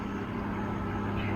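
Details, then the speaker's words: 1995 Mercedes S600 V12 idling just after start while coolant is still low in temperature: deep, even hum with steady drone and fan whoosh, no knocks or ticks. Fans kicking in indicates pressures are up, which is normal. "so now as you can hear the fans kick in that's also great because then it tells you that pressures and everything come up that's excellent"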